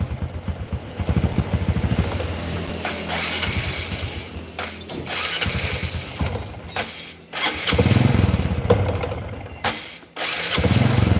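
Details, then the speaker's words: Honda Karisma motorcycle, weak and lacking power, just started: revs unevenly, stumbling and dipping between blips; dies if throttled hard, must be opened slowly, needs warm-up before riding. "Oke teman-teman ini baru kita hidupkan udah saya coba blayer motor tetap gak bisa stabil Jadi blebet-blebet blebet kalau di gas agak kenceng mati harus pelan baru bisa naik"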